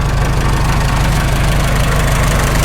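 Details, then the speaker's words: Farmall H after sleeve repair: steady low idle with a faint even whir underneath that drops out when the clutch is pressed. The belly pump drive coupling is removed, so it is not the pump. Owner suspects worn constant mesh gears at the front of the transmission. "Got to be constant mesh. It goes away when you press the clutch and all those gears stop spinning. And it's back."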